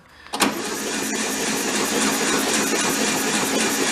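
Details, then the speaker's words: VW Beetle convertible parked since 1995, cranked on the starter to circulate oil: starter clacks in, then an even whirring crank with no compression pulses gradually picks up speed while pumping oil through. Engine has oil; compression test comes next. "I wouldn't say you hear it pick up speed. Yeah, plus it's pumping oil through."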